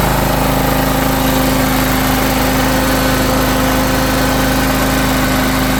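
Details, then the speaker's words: John Deere X540 riding mower after 20 years of neglect, after carburetor cleaning and rebuild with new parts: an even, steady engine beat with a constant tone and no misses or surging. Before, it was hard starting and the idle hunted up and down. "And so that's about it. I mean, now it runs smooth again."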